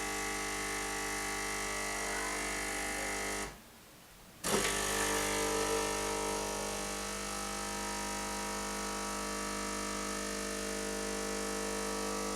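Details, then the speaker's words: Bosch TES50129RW_BK bean-to-cup coffee machine making a latte: steady low hum and whirr, short gap, then even pump buzz pushing water through; normal brew cycle. "now what you're hearing now is the heater which will heat the water up it takes no more than 20 seconds to heat the water up and then push the coffee through at the required bar pressure"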